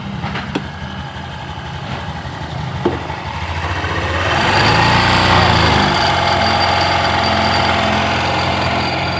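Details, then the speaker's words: Honda Beat New scooter brought in for a customer complaint of a "krincing" jingle. With a part removed and separated so nothing else moves, the engine revs from a steady idle with a light metallic jingle still on it. The mechanic concludes it is an intruder: a loose broken fragment rattling inside. "Oke jikalau masih itu timbul suara berat saya pastikan itu suara penyusup"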